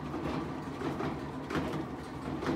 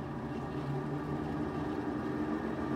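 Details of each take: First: Whirlpool-type top-load washer on spin: heavy irregular thumps and rattling as the tub bangs and shakes around on worn suspension rods (springs), which no longer damp the tub. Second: Whirlpool-type top-load washer in drain and spin after the banging repair and levelling: steady, even hum with no rattling or banging.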